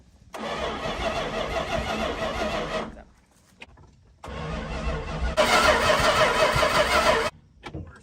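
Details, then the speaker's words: Barn-find 1968 Plymouth Fury 318 one-barrel, unrun over 20 years: two steady cranking bursts of a few seconds, never catches; spark present but ignition points out of adjustment. "see what it does when it rotates maybe I don't have the point set right Crank It Again"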